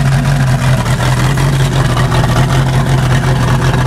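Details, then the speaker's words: Rough, lumpy idle of a 1988 Crestliner's Chevy 305 V8 with OMC King Cobra drive, first run in years, not yet warmed up, with good oil pressure and heavy steam; uneven beat from low compression on two cylinders. "I mean it's not awful not great sounds all right though all things considered"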